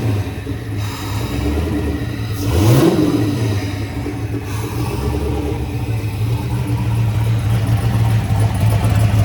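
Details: Turbocharged Chevy S10 after fire-up; it started oddly, likely due to a misadjusted idle screw and IAC, but seemed all right after readjusting: one sharp rev climbing and falling, then a deep, steady, even idle with no knocks or misses; sounds awesome.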